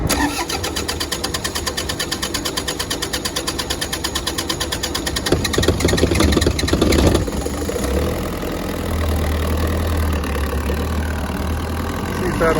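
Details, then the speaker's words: The generator on a Prevost H3-45 RV, fuel-starved after a new fuel filter was fitted, fires after priming with the bus engine running for positive pressure. A rapid chug catches and settles into an even idle. Normal start. "there we go so a little trick from your uncle larry start the bus and it'll go"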